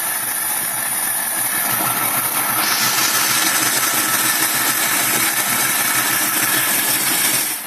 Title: 1965 mustang 2150 carb rough idle